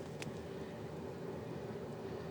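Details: Hcalory TB MAX diesel heater fitted outside under the motorhome's box, just lit via remote and entering its kick-on phase, set to level four: quiet steady fan hum with soft low burner roar settling even; normal running.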